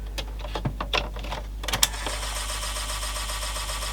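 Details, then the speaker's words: Teac W-60 dual cassette deck (Korean-made, Tanashin single-motor mechanism) on power-up: clicks then a steady raspy scraping whir, likely a broken pulley scraping on the capstan. "well that sounds like it might have a broken pause or something scraping on the Capstone of course anything we run is gonna because it's a single motor"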